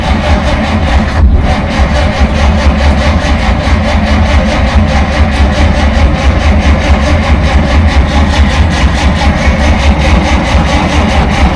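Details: 1947 Dodge, carburettor engine reluctant to start after fuel supply problems; choke put on fully, linkage faulty with butterfly stuck: heavy low churning with uneven pulses about once a second, never catching cleanly; flooded engine, not starting.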